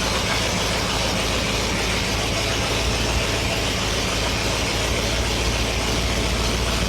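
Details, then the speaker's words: Steady, even note from Steve Coppock's supercharged Ford 8BA Flathead V8 on the dyno, under loud dyno-room noise, no knocks or misses; sounds healthy and high-energy. "That sounds pretty healthy, though, doesn't it? It does, yeah. Well, yeah. Sounds like it's high energy."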